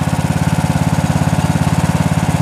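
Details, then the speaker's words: 1998 Craftsman LT 4000 lawn tractor, 15.5 hp Briggs & Stratton OHV single-cylinder, after first cold start of season (fuel drained over winter, started easily): quick even putter, no misses or knocks; owner notes slight oil use, possible valve cover gasket leak — normal idle. "that's why you always drain the fuel at the end of the season cuz you just saw how easy it started"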